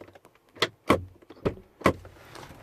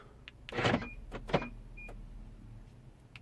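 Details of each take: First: 2010 BMW 7 Series (F01/F02), passenger door pressed to lock by remote or the interior button. A few short buzzing clunks inside the door with each press but no latch throw; the pin doesn't move. Suspected failed door lock actuator. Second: BMW F01/F02 passenger door lock after lock repair, fully reassembled, final test from key and interior button: quick firm lock and unlock clunks with short chirps, no buzzing or hesitation; door locking normally.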